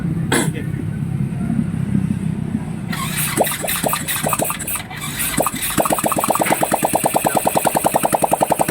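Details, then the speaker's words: Motorcycle engine first start after cylinder head job, test-run without exhaust pipe, keeps running even with battery removed; catches after a few cranks, sharp loud even popping from open exhaust port, no tapping; normal running. "yan, narinig na. Maandar na, walang tambotso pa yan. Yan, kahit tanggalin natin yung battery, naandar pa rin."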